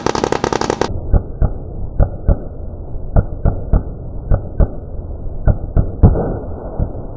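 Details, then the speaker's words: Modified 2019 Camaro SS V8 (tuned, Stage 3 cam, headers, catless X-pipe, E85, nitrous) on two-step limiter at 2500 rpm: sharp, loud exhaust cracks about every two seconds over a low held rumble. Healthy limiter pops. "but man this thing sounds so good that was at 2500 rpm guys and it just hollered it screamed sounded really awes"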